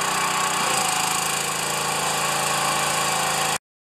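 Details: Pressure washer, first start since last year, unloader working: small engine holds a smooth even drone with no knocks or surges until shut off; runs well, normal running.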